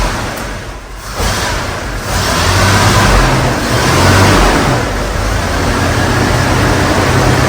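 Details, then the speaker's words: Bagged Chevy van engine, previously hydrolocking with fuel, now revs cleanly with a steady, even note and no sputter after the old fuel injector was replaced; normal running and revving. "oh cool man damn that's running pretty good really check this out"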